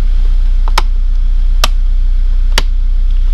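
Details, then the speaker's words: GT86 refitted engine with new forged pistons, rods, valve springs and oil pump, idling to warm up for coolant bleeding: low, steady idle hum with only a few isolated ticks, sitting evenly; normal warm-up idle. "so basically now I'm just um waiting for the coolant temperature to get up um so that we can bleed the coolant properly"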